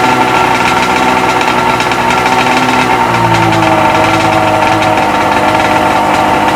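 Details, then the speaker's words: Freshly rebuilt Sea-Doo XP 720 two-stroke, driveway run on flush hose, pump disconnected: loud busy idle, steady buzz with slight pitch sag midway, runs on evenly without misfire; normal idle. "But she's just idling, purring along, man"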